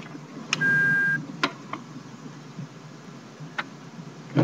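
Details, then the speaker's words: Trash-picked Brother FAX-565 fax machine, a little dirty, powering on and showing "please wait": a short steady beep and a few light mechanical clicks and whirs as it initializes normally. "says please wait. It's making a little bit of noise. It's a little dirty actually."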